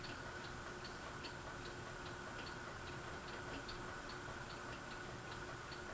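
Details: Fasco Vanity Fair ceiling fan with a broken flywheel, on medium: steady light ticking two to three times a second over the hum. The housing is loose; the owner thinks someone tried to remove the flywheel.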